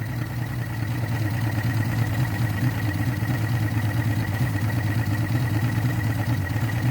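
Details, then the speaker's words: Yamaha 225hp outboard, block holes repaired with JB Weld (owner suspects lean #6 cylinder; #6 piston replaced last year), extra oil added for break-in, idling in neutral: low even burble, smooth steady beat, no misfires or knocking; possibly firing well. "i'm not sure it sounds like it's firing real good but it's still in neutral"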